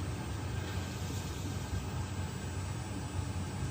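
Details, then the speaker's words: Sunmix spiral dough mixer, empty bowl, manual mode 50 rpm, after heat-gunning a flat-spotted rubber bowl roller that had clunked: steady low even hum, clunk gone, left running while bowl and rollers cool; normal smooth running. "Silent. I'll just leave that running now until those bowl and the bowl rollers have cooled down again."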